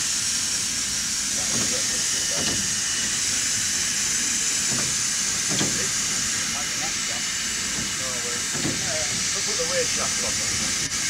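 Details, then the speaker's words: Steam locomotive on the North Yorkshire Moors Railway being prepared: steady loud hiss of steam and water from the open cylinder cocks, venting condensate so water in the cylinders can't damage them; normal venting. "So we've got the cylinder cocks open, that's what you can hear hissing up there to let it all out."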